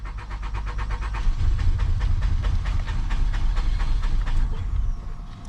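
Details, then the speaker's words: Nissan Altima 2.5 after fuel pump replacement, pump now priming: starter churns in a steady rapid rhythm for several seconds but engine never catches; cranks without starting, another fault still present. "All right, guys, it looks like we might have another issue. Looks like we might have another issue. We got the fuel situation taken care of. She's got another problem."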